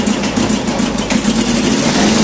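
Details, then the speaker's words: 2008 Chevy HHR with 2.4 Ecotec block and 2.2 head replacing blown 2.2, first startup: loud ragged running, uneven puffs, raspy ticking exhaust and thin rising whistle; bad misfire, exhaust manifold leaking past factory copper gasket, plus vacuum leak. "a couple things I noticed when I first started up had a real bad misfire but also the exhaust manifold was leaking really bad"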